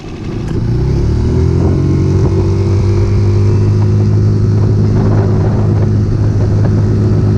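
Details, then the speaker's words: Circa 2020 Mercury 6hp four-stroke outboard, previously stalling and sputtering after winter storage, after carburetor and jet cleaning: steady even drone, clean low tone, no misses or surging; normal running, good as new. "After cleaning it all up, she was running good as new and ready for our next adventures."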